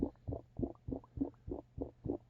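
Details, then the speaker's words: Rooftop dryer vent (wrong vent type) with dryer running: steady wet gurgling about three times a second over the muffled spinning hum, from standing water in the vent letting moisture back into the dryer so it doesn't fully dry. "the gurgling and the muffled sound of the dryer spinning there is standing water in here and that's why moisture is coming back into the dryer and it's not fully drying"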